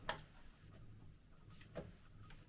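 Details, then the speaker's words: Sony turntable, auto mechanism won't stop, a typical Sony issue: faint irregular mechanical clicks keep coming from the deck with no motor hum settling, mechanism keeps cycling, muting still not off; something is wrong. "It's still trying to do stuff. It's a bit confused, clearly. And the muting isn't off yet. So, something is is wrong."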